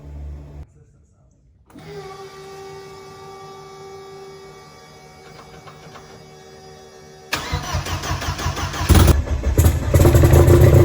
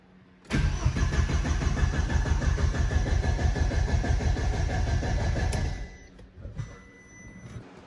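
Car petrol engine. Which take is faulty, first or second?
second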